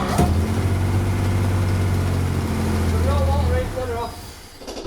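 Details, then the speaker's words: Engine of a revived project car, first runs after fitting new parts and setting ignition points, warm and possibly briefly on five cylinders with a plug off: smooth, steady low hum with even beat, then switched off. "But that sounds sweet, that, Johnny. It just really sounds nice, yeah."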